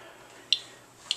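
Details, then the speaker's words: Geiger counter with Geiger-Müller tube, internal speaker: two sharp isolated clicks in just over a second, a slow random count of normal background radiation. "this radiation that that you're detecting is perfectly normal it is called background radiation and it comes from space"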